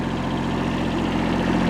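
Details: Kubota B7100 diesel tractor with loader, sat about 10 years in a collapsed barn, after fan belt change and reassembly; steady even low diesel chug with no knocks, squeals or misses; normal idle.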